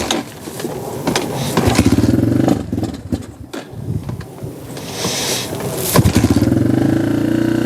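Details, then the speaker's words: XR150 clone single-cylinder bike: chugs unevenly, surging then sagging and nearly dying. It starts but dies when the choke is released or throttle is opened; a carburetor problem is concluded. "As soon as I open up the throttle, it dies. It starts, but classic carburetor problem. As soon as you let go of the choke or give it gas, it dies. So it's definitely an issue with the carburetor."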